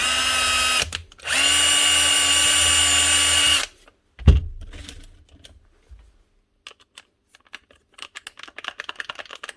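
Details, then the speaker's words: Bosch 18V-Li impact driver/drill set (around 2013–2014) after a switch repair where a poor contact was bent up. Two even high motor-whine bursts hold a steady pitch without surging or jumping speeds, then handling clicks: normal running. "but's holding no problem and she's not jumping in the speeds anymore that's it one B Troll and one B impactor both fixed up ready to go"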